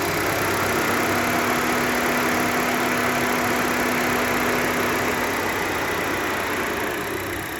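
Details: 2011 Toyota Corolla 1.8, under load while accelerating: the engine runs at a steady pitch with fast, somewhat uneven crackling and ticking about four per second. Cause unknown.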